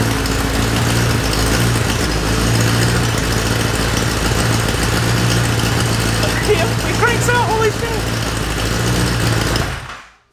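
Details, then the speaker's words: Kawasaki Ninja ZX-10R from wrecked bike, first start after frame damage: steady, even four-cylinder idle with no knocks or misses until switched off; engine works, though owner noted an unexplained noise at first crank. "we have an engine we have an engine that actually works"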